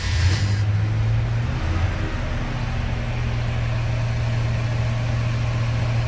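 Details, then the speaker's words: 1977 Ford F-100 Custom, 302 V8, started after a pump or two of the pedal: fires and settles into a deep, steady rumble with an even, unbroken beat; healthy normal cold start and idle. "Nice, reliable, strong 302."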